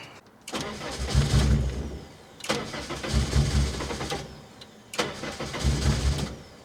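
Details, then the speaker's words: Revived dormant car cranked on a fully charged battery: starter cranks steadily in roughly two-second bursts, engine never catches or fires; owner believes there should be at least five gallons of gas, cause not found; cranks but will not start. "you can hear it crank like it wants to go uh I don't think there's any I don't I don't know what other issue I can have"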